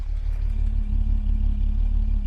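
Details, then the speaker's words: 1975 Jaguar XJ6 six idling about 12 minutes after K-Seal treatment for a cylinder 2 head gasket leak, hot day, correct temperature: low, even rumble, no miss; plugs sooty, belt squeal still present; running really great. "Extremely nice and even here. Not a hint of a miss."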